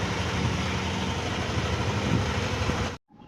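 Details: Yamaha NMAX V2 scooter idling with a steady low hum, no knocking, then cutting off abruptly, after the drive face was replaced to cure a clanking engine noise that persisted despite an earlier block replacement.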